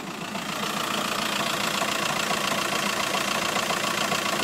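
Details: 2006 car at idle: steady idle with a quick, fairly regular knock about three or four times a second riding over the engine; a knocking crankshaft damper.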